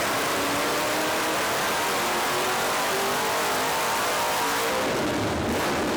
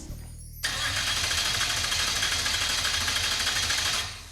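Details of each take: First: 1970 Dodge Super Bee with a 440 big-block V8, started after a blower swap with a throttle-body spacer and 25% more throttle opening: the supercharged V8 fires, roars up strong and even, then settles; runs clean and healthy. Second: 1970 Dodge Super Bee with a 440 big-block V8, abandoned for years, first start attempt: steady, fast starter churn for about three seconds that never catches; crank no start, no fuel pressure as the fuel pump isn't running.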